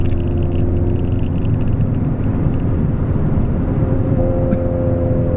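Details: Peugeot 206 front suspension after replacing the sway bar link and installing coilovers with new top mounts and bearings, which fixed a clunking over bumps: steady road and engine rumble, no knocks or clunks, quiet and tight.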